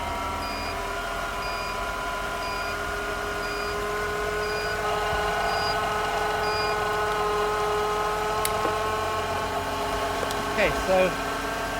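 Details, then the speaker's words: Mitsubishi Shogun (Pajero) Pinin TR4 iO, first start after about three years unused, jump-started with a booster pack: steady, even idle with a smooth unbroken hum, no knocks, misses or hunting; normal idle. "that was a bit unexpected. It's running fine."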